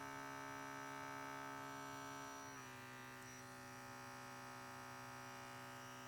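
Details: KAATSU C4 air compressor unit tested with several air hoses: thin steady motor whine dropping slightly then holding flat, never comes up to pressure; compressor fault, since pressure failed with every hose.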